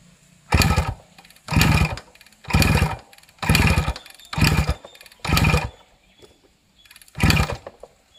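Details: Suzuki Max 100 two-stroke cold-started after five years of storage during restoration, petrol connected: blipped in short sharp bursts about once a second, each time picking up cleanly and dropping back, running normally.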